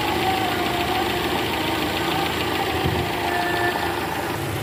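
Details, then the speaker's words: 2012 Toyota Camry 2.5 V, 2AR 2500cc petrol, over 100,000 km, cold start in R: rough rattling "kretek" clearly heard by stethoscope at the oil pan, disappears when warm; loose balancer shaft, which was replaced. "nah ini guys ada bunyi Kretek tek tek tek tek tek ini posisi R tadi saya sempat dengerin pakai SpongeBob di area panci oli itu jelas banget suaranya Kretek tek tek tek dan ini indikasinya balancernya oblak guys"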